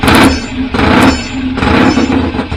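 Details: BSA A50 (Royal Star/Wasp) bought as a non-runner, first start after restoration with newly fitted pattern exhaust pipes: loud crisp twin bark swelling with each blip, running and revving freely.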